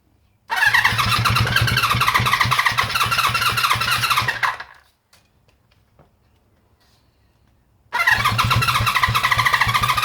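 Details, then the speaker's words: Honda CB350 Four, first start with choke on: engine fires and runs fast with a loose mechanical rattle, cuts out, restarts rattly; engine rattle, cause unknown. "Just a minute. Give it more petrol. Bit rattly."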